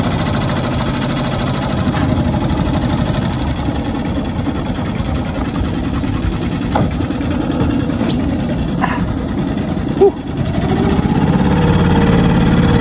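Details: New Hangkai 6.5 hp four-stroke outboard on a 10-foot jon boat under way: steady, even low drone at constant speed, no misses or knocks; running smoothly and healthy.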